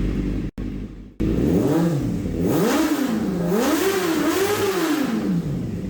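Engine revs up and down cleanly with a smoothly rising and falling note, no stumbles or misses; carburetion sounds healthy.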